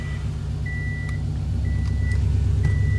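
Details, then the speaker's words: Engine that had hard hot starts, after the AEM 340 fuel pump was sorted so fuel reaches the engine instead of returning to the tank, AFRs about 14.5–14.8: steady, even low idle with no stumbling under a repeating chime, far better. "that is the thousand times better and obviously the fuel is going to the engine now and not back into the tank while the pump is overworking itself"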